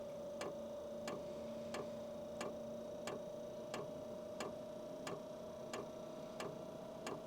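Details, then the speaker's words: HCALORY Toolbox Compact 2s diesel heater on its first-ever run, never fuelled before: the fuel pump primes at startup with even, sharp ticks about 1.5 per second over a steady fan hum, and the glow-plug-hot icon shows. Normal fuel pump ticking. "You can hear that ticking? That's the fuel pump, and it gives me an icon that the glow plug is hot, that the fuel pump is going."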